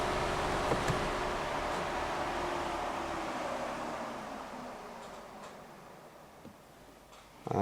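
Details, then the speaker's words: Audi A5, 26,000 miles, with parking brake, TPMS and engine light faults: engine switched off, leaving a steady airy whir that slowly fades; the coolant fan keeps running after shutdown. "I'm gonna turn the engine off, so you should be able to hear the fan, the coolant fan is still"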